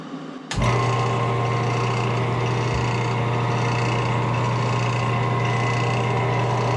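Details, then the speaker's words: Woodturning lathe, first run with a brand new steady rest on a maple burl goblet: spins up quickly to a steady, smooth low hum with no wobble, knocking or vibration. Normal running. "Test run seems to be okay. Hopefully we can get this guy hauled out and bring this project to completion."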